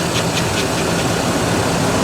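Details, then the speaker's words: Buick petrol engine idling while warming up, started after two months sitting, thermostat just opening: light, quick valvetrain patter over steady hum, normal; noisy alternator bearings also audible. "and i just hear the valve train going you know just"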